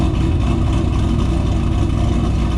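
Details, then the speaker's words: Ford GT500 supercharged V8 through stock mufflers, after an extended road trip: deep, steady, even rumble with no misses or rasp; normal, healthy exhaust note. "Just a damn good sounding car, you know what I mean? Freaking awesome."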